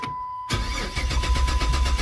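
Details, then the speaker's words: Silver Dodge Charger that quit in the road, towed in, full tank: chime, then starter spins engine steadily but it never fires; no fuel delivery, suspected failed fuel pump. "yeah I know what that sounds like don't you spin over is any fuel in here full tank of gas guys"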